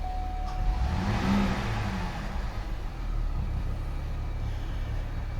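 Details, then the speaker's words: Chevy 3.6 V6 that threw many codes (timing chain, cam sensor) from a damaged throttle body, started: catches and settles into a steady, even low rumble, no stumble or miss; healthy idle. "Just as smooth as you can be."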